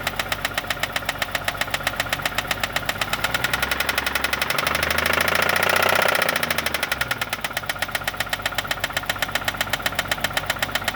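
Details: 1989 BMW 325i E30 engine idling with a sharp, regular knock about four times a second that just started; cause not identified.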